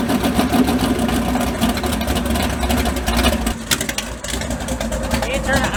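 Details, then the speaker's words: Mud bog truck, not run since January, third attempt with a starter that had been grinding. Steady cranking with no grinding, then it fires and runs rough on fouled spark plugs; the starter now engages cleanly. "Alright, take 3 with the starter. See if she doesn't grind this time."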